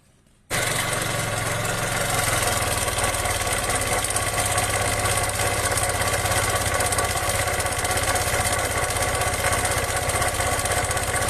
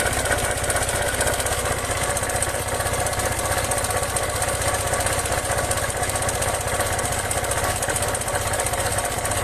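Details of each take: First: Kymco 150 scooter engine with its cover opened to find the noise: loud, harsh scraping rasp over steady running; the bearing has play and wobbles, not the exhaust, so it is a broken bearing with excessive clearance. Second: Kymco 150 scooter after replacing a broken bearing and fitting a new camshaft idles steadily with an even, quick beat, no scraping or grinding, then shuts off; normal idle.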